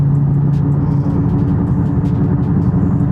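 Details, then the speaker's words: Car driving on the road with a loud, steady low rumbling growl from badly worn front wheel bearings that shake the whole car, with a CV axle shimmy also felt. "But you can definitely feel it. And just take a listen to these wheel bearings. They're ridiculously loud."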